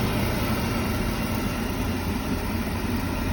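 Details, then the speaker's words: Beckett oil burner on a home heating system after a new blower motor went in and a bad start capacitor was replaced: the blower turns the oil pump, then a steady, even low roar, firing and running normally. "you hear the blower motor hear the blower running and it's turning the oil pump i'm assuming this thing is going to fire up"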